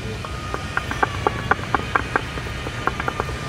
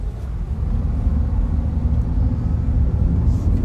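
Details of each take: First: Honda CR-V front lower arm ball joint rocked by hand in the workshop, wheel off: sharp irregular clunks about four a second from heavy play. The car had clunking over bumps; worn lower ball joint. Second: Honda CR-V driving on a plain road after a front suspension overhaul and alignment, which fixed a clunking over bumps. Steady low tyre and road rumble with no knocks, clunks or rattles; the suspension is quiet and ride quality is much improved.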